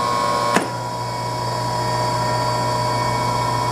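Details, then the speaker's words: Three-phase motor running unloaded on a homemade rotary phase converter for a voltage balance test: one click at switch-on, then steady even hum, no rumble or grinding; bearings sound good. "motor seems to have pretty good bearings that is a two-horse motor hooked up"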